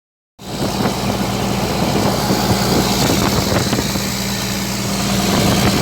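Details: Komatsu PC200-8 excavator after engine overhaul: steady even diesel idle with smooth low drone, no knocks or ticks; runs cleanly and sounds healthy.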